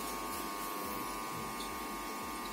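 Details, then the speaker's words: Desktop PC that had been beeping and not powering on, restarted: a quiet, steady fan whir with a faint even hum and no beep codes. The monitor comes on; normal startup. "is running let's say hope no beep sound will get now okay now you can see the monitor is on"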